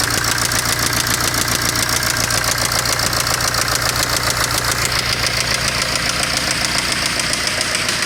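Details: BMW N47D20 diesel engine at steady idle: a sharp, even metallic knock, close to two knocks a second, loud over the engine. A clear internal engine knock, cause undetermined.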